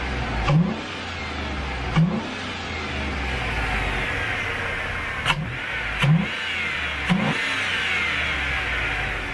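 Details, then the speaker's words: 2003 Chevrolet Tahoe V8 just after installing a cheap Amazon cold air intake, no check engine lights: five quick throttle blips over a steady idle, each with a deep whoosh at the throttle body; healthy revving, louder intake. "all right no check engine lights i can hear the throttle body it's definitely sucking more air"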